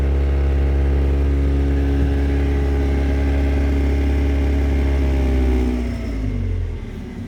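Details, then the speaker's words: 1991 Mazda MX-5 first edition held near 2000 rpm; a loud, steady buzzing rattle under the dashboard that fades as revs drop; the upper of two yellow coolant lines under the dash vibrating. "that's a really loud annoying noise now I have managed finally to find it"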